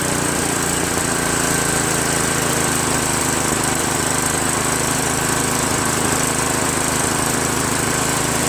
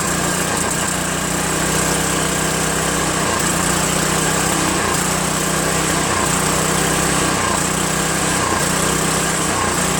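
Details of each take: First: Craftsman 5.5 hp OHV 26-inch two-stage snowblower, previously surging, after replacing the carburetor with a Chinese copy: steady, even small-engine drone, no hunting, surging or misfires; running smoothly. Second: Craftsman 5.5 hp OHV 26-inch two-stage snowblower out of storage with fresh gas, after a quick carb bowl clean and linkage adjustment: engine speed rises and falls about every 1.5 seconds, steadily hunting; surging from faulty carburetor, later replaced.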